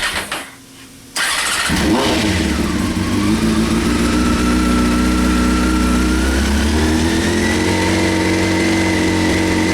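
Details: 1998 Honda CBR after carb rebuild, new spark plugs and K&N air filter, tried with choke on then off: starts into a fast, uneven idle with a wavering tone. Still running rough after the work; cause unknown.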